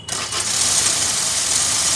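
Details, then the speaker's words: Maruti Swift (stated 2017 model), started with the clutch pressed: a loud steady high-pitched whir over the idle as the starter keeps spinning with the engine, stopping when the clutch is released; worn starter pinion bush, excess crank end play. "से साथ में घूम रहा है आवाज आ रही है"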